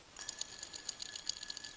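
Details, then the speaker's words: Idler pulley from a 2005 Honda Accord 2.4 VTEC spun by hand off the engine: thin whirr with scratchy, uneven ticking from a rough, worn bearing; pulley surface also shows slipping wear. "one of the main things you need to check when you're looking at an idler pulley is the bearing itself so you stick it on your finger you spin it around and you shouldn't hear this noise"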